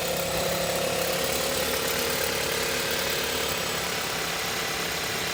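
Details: 2018 VW Tiguan Allspace at steady idle with a dense, fine metallic chatter over the engine note, suspected fuel rail rattle; source unconfirmed.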